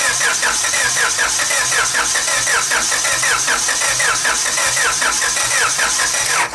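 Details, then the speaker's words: Car engine cranked at length with distributor disconnected, no spark, to prime oil after turbo kit install: sluggish, uneven starter cranking about one to one and a half turns per second, never catching, battery nearly dying. "all right guys so I rotated this engine enough almost to where the battery sounds like it's going to die so I mean maybe that's a little bit Overkill but we got the oil going through"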